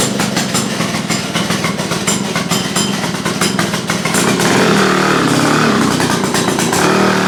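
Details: Restored Victa two-stroke go-kart on its test run: crisp buzz that picks up to a steadier, louder run partway through, firing cleanly with no bogging or misfire; normal running.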